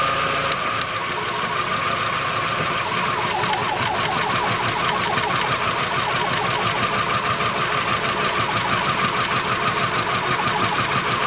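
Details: VW Beetle with misfire only when wet or humid; ragged uneven chuffing and ticking over the running engine, about three beats a second, the beat stumbling from misfire.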